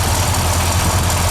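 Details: C30 with a 383 stroker V8, first start after a flexplate replacement: a steady, even low rumble at idle with no knocks or ticks over the exhaust note; it sounds healthy.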